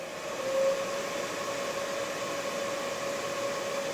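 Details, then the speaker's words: Used Breckwell pellet stove convection fan removed from a P24I, in a pre-shipment test after the flag was removed: a steady, even airy rush with a faint mid-pitch hum and no rubbing or rattle; fully functional and relatively quiet. "so there it is it's fully functional relatively quiet i'll package that up this evening and have it in the mail"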